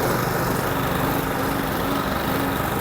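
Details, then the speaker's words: Old Briggs & Stratton Classic lawnmower engine from a neglected job lot, started after a little priming: small single-cylinder engine runs smooth and even at steady speed with no misfire, knock or hunting; normal running. "Give it a little prime. Oh, there we go. Fire straight up. Four out of four."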